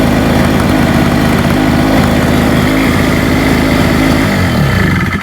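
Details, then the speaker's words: Hurricane 850W 240V portable two-stroke generator, shed-stored, warming up after a loose spark plug was tightened, blowing heavy smoke, likely from fuel with too much oil: steady fast-idle buzz with an uneven burbling beat before dying away, so it runs rough. "Let's let it warm up. See what happens. Trying to get warm now, but it's really It's still very smoky."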